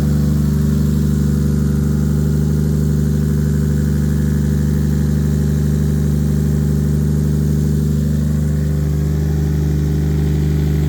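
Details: Normal idle: an 800hp 2JZ turbo Lexus IS300, wrecked in a front-end collision and sitting unused, started on a replacement battery with no coolant and was run only briefly. Smooth, even idle, steady low drone with slight rev swells, no knocks or misses; runs healthy.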